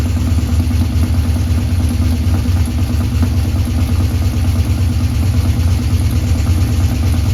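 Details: 1984 Ford F150 V8, first start after months with the underhood harness out and fuel system primed: loud, rough running with a constant clattering chatter over a deep, uneven rumble; cause unknown, number 8 plug looked slightly dirtier.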